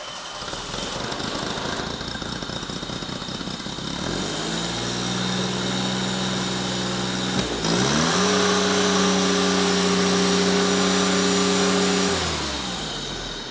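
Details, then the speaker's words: Cold start of a liquid-cooled carbureted 3-cylinder gas John Deere engine: fires on the first crank without choke, settles into a steady, slightly lopey cold idle that holds at higher speed; normal cold idle. "That was cold, and as you heard, that thing just fired right to life. And sure, it had a bit of like a lopey idle. It just kind of does that when it's cold."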